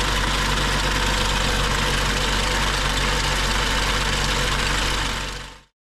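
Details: BMW 535xi M Sport rebuilt engine, about 2,500 miles after installation, at idle: fast, fairly regular light rattle and tapping, about four per second; worsened with drivetrain malfunction warning; VANOS screens clean, rod bearing failure ruled out, lifters or high-pressure fuel pump suspected.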